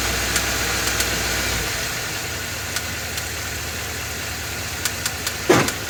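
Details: Ford F-250 with 7.3 L Godzilla gasoline V8 at idle on a hot day with light load, serpentine belt removed per TSB; sharp irregular internal ticks and knocks persist. The dealer called it fine and it is now getting a new engine.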